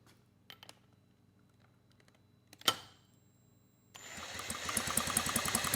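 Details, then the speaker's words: 1967 Mercury Merc 60 6 hp two-stroke twin outboard, pulled from trash, points set near 0.019; sharp snapping ticks about three a second while pulled over, strong spark on the top cylinder tested with plug tester. "All right, we've got nice strong spark. on the top cylinder."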